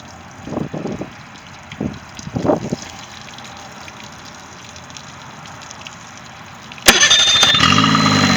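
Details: Triton boat's Mercury 25 hp outboard starts at once and settles into an even, steady run with no misses; no start issue, final running check shows normal start and idle.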